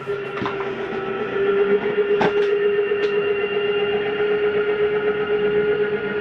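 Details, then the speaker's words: Jayco Jay Flight SLX 242BHS travel trailer slide-out retracting: even electric motor whirr at steady mid pitch with a few light clunks, brief end sound is the mechanism stopping itself, no grinding; normal slide-out retraction. "it's okay to hear that just for the second that you just did hear it it's the slide mechanism telling itself not to go in any further there's nothing grinding that's the sound it makes"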